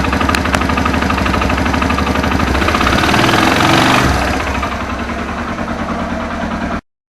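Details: Suzuki Thunder 125 motorcycle owned over 11 years: fast, fairly even deep internal knocking about three per second over the engine note, easing as revs drop; strange noise inside the engine, cause unconfirmed, owner planning engine teardown after consulting mechanics.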